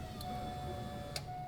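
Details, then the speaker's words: 13B two-rotor rotary Corvette Z06 with the stock fuel system managed by an Adaptronic aftermarket ECU: a faint steady electric whine with relay clicks as the pump primes for about 3 seconds instead of the expected 5; fuel pump priming normally. "That was it. It worked. That worked. It was, okay, it wasn't 5 seconds, it's 3 seconds or something like that."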